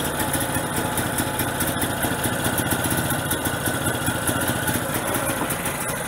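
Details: Generator on gas fed through regulator to carburetor, small bottle very cold with too little tank pressure, choke closed to keep running: uneven lumpy running with irregular beat never settling; fuel starvation from low gas pressure, bigger bottle needed.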